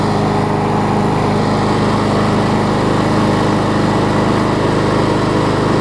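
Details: John Deere JS35 mower after a new flywheel key and a replacement carburetor converted from auto choke to primer bulb: small single-cylinder engine holding a steady, even buzz with no misses or knocks. Normal running.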